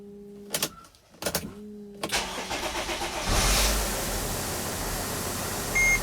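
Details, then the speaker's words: Dodge/Mercedes Sprinter diesel after a limp-mode fix for boost pressure regulator code 2510, codes erased: a few chimes, cranking, quick start and a steady, even idle with the check engine light off; the catalyst exhaust leak remains. "so as you can hear the engine is running and the check engine light is now off so let's take this vehicle for a test drive"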